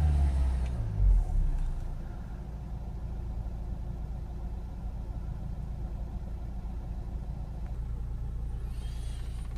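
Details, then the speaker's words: 2010 Nissan Qashqai 1.5 dCi diesel, 59,000 miles, after cleaning a severely blocked DPF (30+ psi restriction, earlier would not exceed 1500 rpm): deep even rumble revving freely with smoke clearing, no engine lights or fault codes. "it's clearing away a little bit now so it's reving up nice and freely now that feels absolutely perfect"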